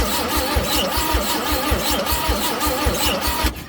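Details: Old Chevrolet C10 cranking with fuel poured in: steady cranking about one beat per second with a dry, scratchy screech on each turn, never catches; cranks but won't start, spark doubtful, battery suspected to be getting low.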